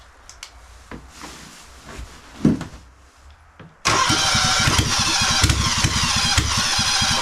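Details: Kawasaki FX730V v-twin, on an engine stand and started by 12-volt trigger on choke: quiet fiddling, then it catches at once into a fast, steady popping run, about three to four beats a second; normal start.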